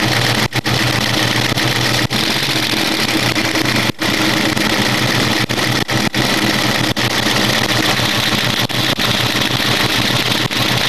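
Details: Ford Mustang V8 idling after a PI swap, with a fast, light ticking laid over the steady low rumble; cause of the engine tick unknown.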